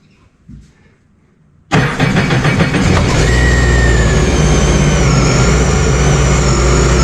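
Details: Sea-Doo RXP-X 300 jet ski after supercharger removal and reinstall: fires on first crank, settles to steady idle with faint supercharger whine, no knocks or hiccups, no leaks seen; normal start and idle.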